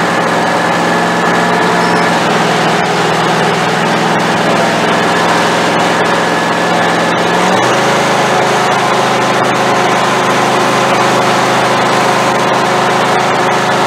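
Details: Craftsman YT4000 hydrostatic riding mower, valves not yet adjusted: unsteady uneven beat, note drops abruptly partway through, not running clean; fuel fault suspected, owner expects carburetor problem.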